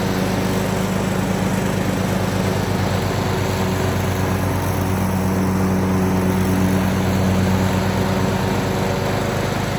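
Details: Craftsman YT3000 riding mower with donor replacement engine, after oil change with deck remounted, blades engaged, test run; single-cylinder engine holds steady even beat, no misses or knocks, transmission solid, normal running.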